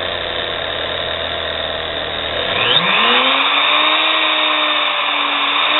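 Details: Nano lathe motor of under 1/4 hp run with the belt removed: spins up to a steady rising whine with a rough scratchy edge; scraping inside the motor is suspected, cause not confirmed.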